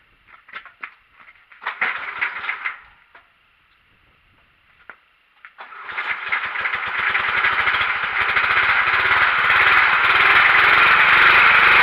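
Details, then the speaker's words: Simplicity Broadmoor 707 or 727 garden tractor (aggressive 23-in ag tires), possibly flooded: short cranking bursts, then it catches and climbs to a loud steady roar that never drops back, running wide open; owner suspects governor return spring. "decided oh hey i think i'd rather fix my governor than let her run wide open just a troubled child we don't want that"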